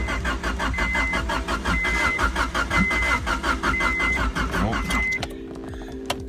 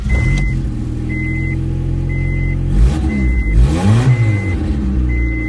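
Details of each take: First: 1990 Honda Civic wagon Real Time AWD that cut out on the highway and backfired, then sat a couple days: the starter cranks steadily with a few pops but it never starts. Fuel pump primes. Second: 1990 Honda Civic wagon Real Time all-wheel drive, after crank-no-start repair with catalytic converter refitted: engine fires and settles into steady even idle with one rev blip while a chime beeps about once a second; runs normally.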